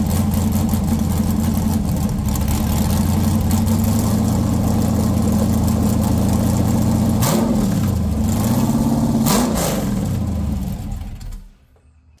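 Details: 6.0 L LS V8 on a stripped factory harness from a 2000 Silverado, after straightening a dipstick the crank had been hitting: deep even idle, no tick or rattle, two clean rev blips, then shutdown; normal idle and revving.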